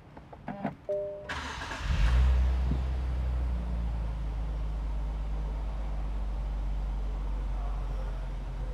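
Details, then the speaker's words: Newly bought Nissan Fairlady Z Nismo start: short starter crank, quick catch and flare, then low, smooth, even idle with no knocks or ticks and no warnings on the dash; normal start. "nah ini engak ada peringatan sama sekali Ya normal semuanya mesinnya halus banget"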